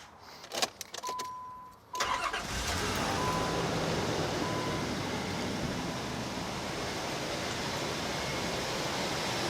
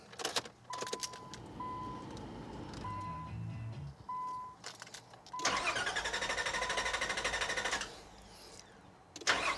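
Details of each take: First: 2001 Nissan Pathfinder, which starts fine cold but struggles when warm, before the fuel rail damper is replaced: short chime, then the engine fires instantly and settles into a steady even idle; normal cold start. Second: 2001 Nissan Pathfinder, hot restart after a drive and 15-minute rest, starts fine cold: door chime, then long drawn-out cranking, pause, another long crank before firing; fuel pressure bleeding off through a leaking fuel rail damper, fixed by replacing it.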